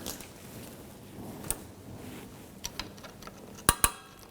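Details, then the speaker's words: 1997-2006 Jeep Wrangler rear parking brake shoe hardware kit install: crisp light clicks as the adjuster wheel turns and the spring catches each tooth, showing the spring setup is correct. "you can hear it clicking you can hear it engaging so all of your spring setup is all correct and as this wheel moves this will lock it into place"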